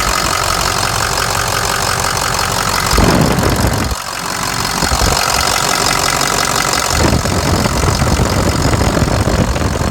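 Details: Ford F-550 Lariat diesel, manual shift, rebuilt with fresh engine, balanced rotating assembly, new Garrett turbo, injectors, harness, radiator, coolant pump and fan clutch: steady, even idle with usual injector clatter and a clean turbo hiss; healthy.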